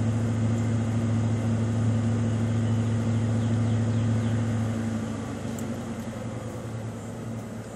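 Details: 1995 Ford Mustang GT V8 (OBD1) during KOER engine-running self-test via jumpered EEC self-test connector: RPMs raised two to three minutes while codes output; steady even drone at raised idle easing slightly at end, no misses or knocks, normal fast idle.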